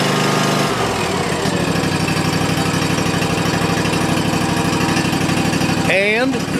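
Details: Cub Cadet ZT1 Ultima mower that started then died, after replacing a shorted key switch: engine catches and settles into a steady, even drone that holds without stumbling or dying; normal running.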